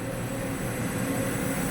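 A steady, even machine hum with no scraping, squeal or clatter: the elevator brake runs quietly.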